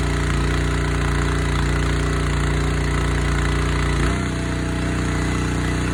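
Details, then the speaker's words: Honda GX160 engine on a Splitfire wood splitter, previously bogging down when splitting, after carb cleaning with jets checked and oil change: steady, even single-cylinder chug with only a slight speed shift, no bogging or surging; running fine. "Sounds like it's fine."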